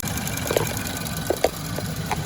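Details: 2016 Land Rover 2.0 after a water pump replacement, idling while coolant is bled with the heater on high: steady, even idle with a few faint chirps from a coolant-wet belt; otherwise healthy.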